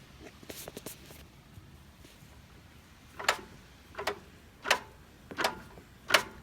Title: Mazda 3 clunking sound